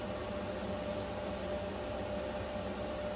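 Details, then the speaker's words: Vevor Chinese diesel heater in an uninsulated camper in sub-zero cold: on high setting, a steady even rush of air with a faint constant hum, no pump ticking audible over it; fan running smoothly. "Okay, so the fan is definitely a little bit noisier. Not bad though."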